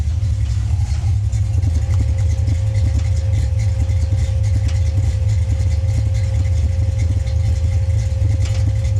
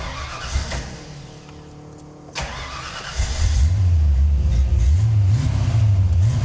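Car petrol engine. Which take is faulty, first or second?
first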